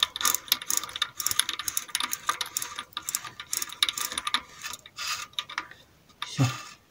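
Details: Bicycle rear wheel with knocking at rear axle while riding, after re-tightening a loosened axle nut: crisp, rapid, even clicking from spun rear freewheel fading as it slows; healthy ratchet tick, no knock.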